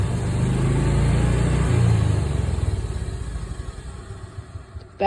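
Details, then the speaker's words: Old Club Car DS golf cart engine, running after its first oil change in years: pulls steadily then eases off evenly, no stumbling or bogging, a clean putter fading down; runs better than before, no longer bogs. "It feels and runs even better now. Doesn't even bog down."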